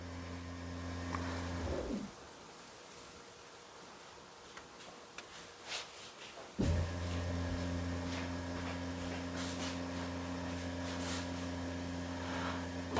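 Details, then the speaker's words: Jaguar XF (X250) ABS pump bleed via iCarsoft CR Max scan tool, front right bleed open: steady low electric buzz runs, stops about four seconds, returns evenly; ABS pump cycling normally during bleed. "Open the front right. Oh, can hear the pump now. Well, the pump's definitely making noises."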